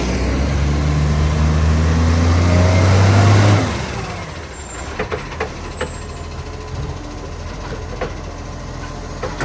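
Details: Ryde Green Waste SL757 diesel: heavy engine drops from a loud run to idle, with sharp irregular puffs and ticks over the rumble, from a huge exhaust leak.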